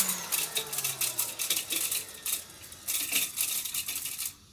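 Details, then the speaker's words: Old vacuum cleaner that also needs a new brush roll, switched on: quick bursts of light metallic clinks that stop at shutoff. Debris is suspected to be rattling inside the motor fan; the plan is to strip and clean it. "it sounds like there's junk in the motor so i don't know if you could hear that"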